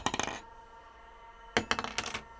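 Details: M2 tool steel piston ring drop test: two drops give quick metallic clatters, then a clear sustained high ring showing a hard, springy, resilient steel ring.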